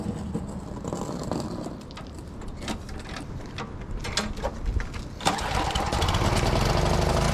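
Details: Walk-behind trimmer mower whose spindle wouldn't engage, restarted after bending the lever, cleaning the binding tensioner lever and refitting spring, cable and belt; owner suspects bent lever and stuck tensioner. Clanking, then the small engine catches and runs steadily.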